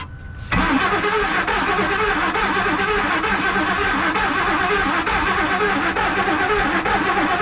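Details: 2003 Ford Expedition, just bought with no known history, cranking with brake cleaner sprayed into the intake and throttle floored; fast, even cranking whir for seconds without catching: crank no start, cause suspected, not confirmed.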